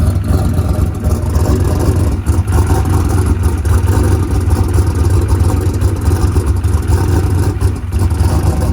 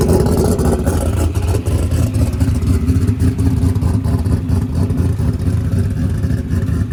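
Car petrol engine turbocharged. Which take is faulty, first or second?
first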